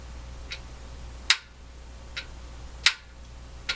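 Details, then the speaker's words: National HRO receiver, about 85 years old, B+ on/off switch with no B+ current reaching the set: sharp, uneven clicks with a thin wrong-feeling snap when flipped; abnormal switch click, switch suspected broken or stuck open. "doesn't sound right so my guess is the switch is broken"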